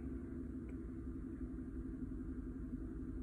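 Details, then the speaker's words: 2013 GMC Sierra 5.3 L flex-fuel V8, P0172/P0175 rich codes from false 53% alcohol reading, after correction to 3% and fuel trims back to zero, engine still very cold: low, steady even rumble, no misses or ticks; smooth cold idle. "and keep in mind this vehicle is still very cold"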